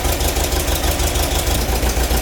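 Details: Freshly rebuilt air-cooled VW bus engine with hydraulic lifters, idling: loud rapid clatter over lumpy low pulse, suspected valves needing adjustment before valve adjustment; cause not confirmed.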